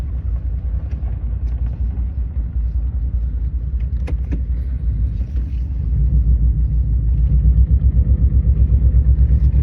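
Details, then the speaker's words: 2002 Subaru Legacy, non-turbo, 130k miles, low on oil, owner hopes injectors fix it: low, lumpy rough idle with an uneven pulse near three per second growing heavier, like it wants to die; misfire. "It sounds like it wants to die. Yeah, it it does have a pretty rough idle."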